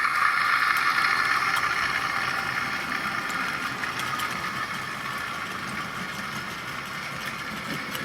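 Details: Tri-ang R.152 Class 08 diesel shunter model with ball-race rear bearing converted X04 motor, hauling tanker wagons at constant slow speed: light, even mid-pitched whirr with only faint ticking; sounding much happier, smooth and healthy.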